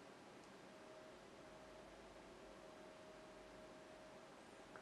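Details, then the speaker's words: Silverstone AirPenetrator 180mm front fan in a Silverstone TJ08-E case, on chassis fan 1 of an ASUS Maximus V Gene at default fan control, in Windows: faint steady high whine over a quiet hiss with no airflow. Fan stalled from insufficient voltage. "this high pitch sound that's what I'm talking about it's not getting enough voltage the fan is not spinning nothing good is happening"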